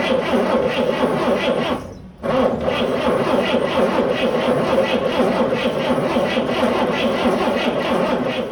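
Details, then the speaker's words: 1955 Chevrolet 3100 pickup, unrun for years, new points, coil and coil wire, fuel fed down the carburetor throat: rough, uneven chuffing about four beats a second with no steady rhythm; stumbling misfire from loose number 1 (finger-tight) and number 2 spark plugs. "Spark plug is loose in the number 1 hole. The spark plug there was just finger tight. Ain't no spark coming through there."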